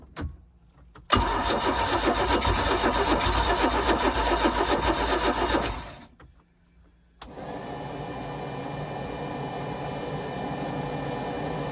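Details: 4.3 Mercruiser boat engine after a starter swap, recorded after priming. About five seconds of even cranking at roughly four beats a second that never fires, then a pause and a steady hum. Owner suspects heat soak.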